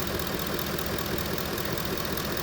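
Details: 2010 Ford F-150 Lariat, 5.4 Triton V8, oil reportedly changed every 4,000 miles with full synthetic: steady idle with a light, rapid knocking patter that doesn't fade; engine knock, source not yet pinned down.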